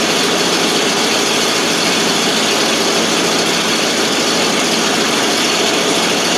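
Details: 1988 FMC 6000 after starting fluid, previously not getting fuel to the carb: loud, raspy, steady idle, running on its own without stumbling; normal idle.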